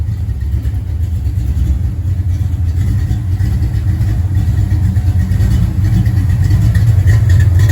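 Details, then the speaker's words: Ford Mustang 5.0 after swapping to an Explorer GT40 intake, first test fire after timing set and fresh oil and filter: steady, even firing with a deep smooth rumble swelling as revs build; normal running. "So now as soon as we get this done, we're going to do a test fire and let's hear it run with that GT40 intake."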